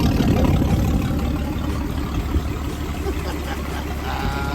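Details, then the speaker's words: 1956 Graymarine 100HP Continental F226 marine petrol engine after #3 cam bearing repositioned to cure no oil pressure and carburetor cleaned; low even thump at fast idle, no knocks or misfires, sounds healthy. "she'll live again"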